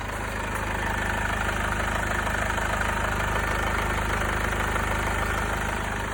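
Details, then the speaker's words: Mercedes B200 W246 with the OM651 diesel, after replacement of a faulty timing chain tensioner. It rattled briefly until oil pressure filled the new adjuster, then went quiet. Now a steady idle with an even, light clatter and no loose rattle; it sounds healthy. "It was a little bit rattly until the oil pressure reached the new adjuster, filled it, and then it went quiet as a mouse."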